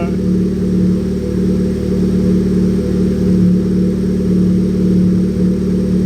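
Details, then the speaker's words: Honda Civic Type R turbo on jack stands, warmed up, after intercooler refitted to fix a boost leak (charge pipes and intercooler end tank gaskets are the suspects): steady drone held at raised revs, smooth and even, no hiss or whoosh; sounds much better than before. "it's already sounding a lot better than what it was before i don't think uh kathy wanted me to rev it that much"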